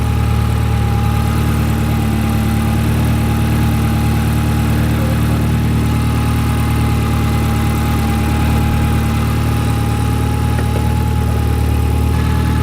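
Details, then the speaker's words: Nissan SR240 engine started after an oil leak and fire, fresh Royal Purple oil: steady, even low idle with a faint whine, no knocks or misses; slight manifold smoke from greasy handprints; runs normally. "okay so it started up there's a little smoke on the manifold but that was just from our greasy hands touching it but seems okay for now"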